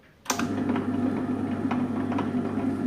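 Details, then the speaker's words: Table-top wet grinder after 6004 ball bearing replacement and all screws fully tightened: motor starts and settles into an even, steady hum with light ticking, no grinding; no noise, normal running. "Sound வரல பாருங்க"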